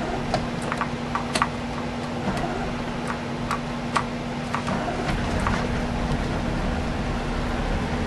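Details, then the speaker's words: Old houseboat engine started with a little gas and choke, settling into a steady low hum with light, even ticking: a quiet, normal idle. "and you may not be able to hear it but she's running"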